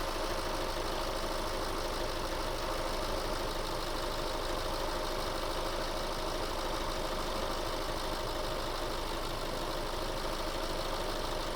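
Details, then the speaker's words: 2008 Subaru Forester SH9, EJ253 engine, after heater hose replacement, system bled and pressurized, fans switching on: steady idle under even rushing fan whoosh, no knocks or rattles; fans cycled normally. "And they've just turned back off again. So system's bled, it's under pressure, the fans have cycled, so everything's working as it should."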